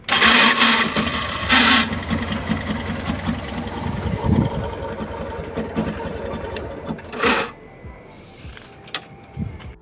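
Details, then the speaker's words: Yamaha Fazer 150 motorcycle cranking: harsh, rattling whirr in short bursts from a failing starter motor with worn brushes; repair attempt failed and the starter was replaced with a new one. "Daí deu para ver que o barulho tava bem feio e então eu já ia começar a desmontar para poder fazer o reparo dele."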